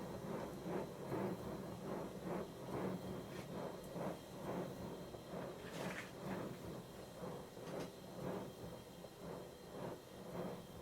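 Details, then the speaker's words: 7¼ inch gauge 0-4-0 tank steam locomotive built 1996, running very slowly with regulator just cracked open; rocking is only due to soft suspension, nothing worn: soft even chuffs about two per second with light hiss between; normal slow running. "Time to stop talking and let you hear the sound of the engine instead. This is the engine running very, very slowly with the regulator just cracked open."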